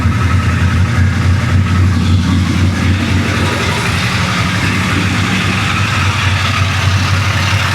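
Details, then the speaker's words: 1966 Chevy Impala 427 big-block V8, first start after running badly, with weak starter: fast loose clatter about four taps a second over rough idle, then idles down; little oil reaching rockers, valvetrain starved, valves to be adjusted. "There's no oil at all. Well, that ain't good. She idled down. That's new."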